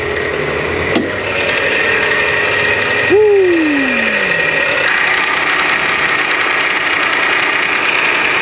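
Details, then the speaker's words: Dodge Journey engine running: steady high-pitched whine and scraping chatter from the belt drive; alternator clutch pulley failing, metal particles found on the pulley, possibly from the alternator. "pull that belt out of the way spin that alternator the clutch is definitely messed up I see metal particles on this pulley but it spins okay the metal might be coming from the alternator"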